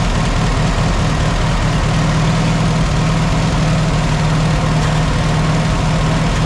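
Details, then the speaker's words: 1967 Farmall 140 tractor started after fan belt replacement, out of gear: smooth, steady low idle with an even beat and no belt squeal, slap or chirp; running right. "all right looks like it's running through everything's good"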